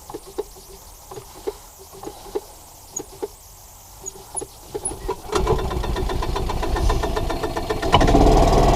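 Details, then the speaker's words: 1993 Club Car golf cart engine after sitting 6+ months, carburetor cleaned and refitted; sharp uneven pops about four a second, then a louder lumpy run that never smooths. Rough running; owner suspects a vacuum leak. "yeah i think i still have that vacuum leak"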